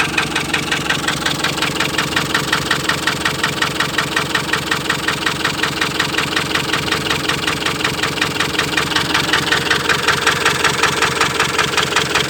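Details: Ford Transit 2.4 knocking, misfiring and stalling: steady idle with a hard, even knock about three times a second and a lumpy, uneven beat; engine knock and misfire.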